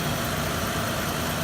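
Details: Car idling just after new battery terminals were fitted to fix a connection issue: a steady, even idle with no misses, clicks or stumbles; the engine sounds healthy.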